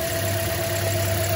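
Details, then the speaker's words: 2010 Toyota Corolla idles with a low, shaking, uneven beat from a cylinder 3 misfire, with a flashing check engine light and no speed over 40 mph; misfire counters and a tailpipe pressure scope confirm cylinder 3. "that shaking misfiring whoa there it is it's really plain to see what a cool capture"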